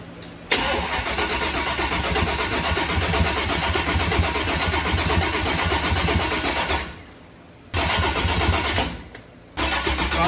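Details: Small-block Chevy 350 V8 in rat rod, first start after stock-to-new cam swap, during cam break-in: catches and settles into steady even lope with brief cut-outs between runs; running well.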